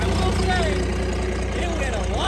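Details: Cummins diesel burnout truck, thought blown up, just restarted: steady even idle, low regular beat, faint exhaust whistle and little exhaust kick "like a sewing machine", said normal; front seal suspected leaking, oil low; normal idle.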